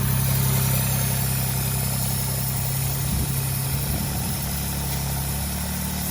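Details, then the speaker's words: Citroen C1 petrol engine at idle: low steady idle then stumbling and wavering as a deliberately created intake air leak lets extra air in, giving an erratic idle. "from yes and this is what we're saying about an ertic idle you see now I had this stuck on here to minimize the leak to make it more realistic it actually fits on there but if that comes off completely then we do get an erotic idle"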